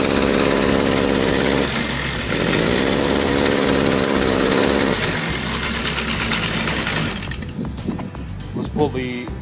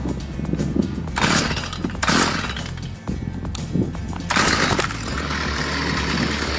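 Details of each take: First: Stihl two-stroke trimmer idles but buzzes and stumbles on throttle, then bogs and dies; likely restricted exhaust, clogged spark arrestor screen, before cleaning. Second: Two-stroke Stihl trimmer that idled but would not rev, after its spark arrestor screen was cleaned of carbon: blips up cleanly several times, then holds a strong, steady high rev, now normal.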